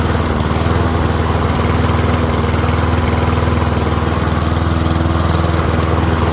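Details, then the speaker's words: Troy-Bilt rear-wheel-drive mower with Briggs & Stratton engine, after ultrasonic carb cleaning, warmed up about five minutes, no smoke now, fuel running low: even single-cylinder putter about four beats a second, no stumbling or surging; pretty quiet, running healthy. "It is a pretty quiet mower."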